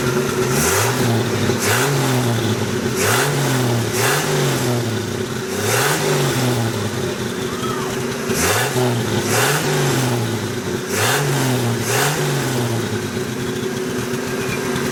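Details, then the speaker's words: Budget-turbocharged 250 engine, first runs, freestanding: revs up and down with a faint turbo whistle as boost builds while it smokes; turbo suspected fried or bad seals, cause unconfirmed. "Sounds good though. Hear the turbo whistling just a little bit. Well, I think we'll let the smoke clear a little bit and then investigate, but I suspect Mr. Turbo is fried."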